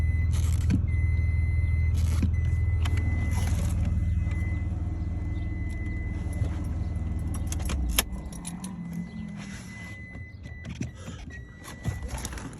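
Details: Stock E46 BMW 330i (aftermarket air intake), engine running: steady low buzz when brake pedal pressed, with faint clicks, from brake booster area and under pedal; intermittent, worse in warm weather, brakes fine; cause unknown.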